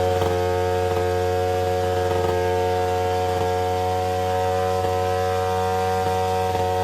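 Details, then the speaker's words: Attex 6x6 two-stroke Rockwell engine after choking, very oily: loud, steady buzzing drone held at high revs that never drops back; owner suspects it is loaded full of fuel. High idle. "We're gonna fire it up one more time to see if it idles its way back down. I think it's just loaded full of fuel right now."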